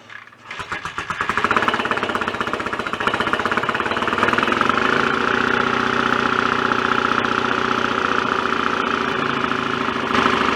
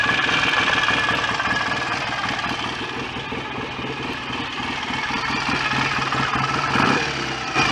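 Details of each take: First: BSA A65 twin after rebuild, cylinder head refitted, first start on a warm day; catches after uneven pops, steady but dull, flat, lame beat, mechanically quiet. Retarded ignition timing, to be advanced. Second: BSA A65 twin after engine rebuild, idling during strobe ignition-timing check (not revved): even, steady tick-over with no knocks, rattles or misses; no leaks, smoke or horrible noises, sounds healthy.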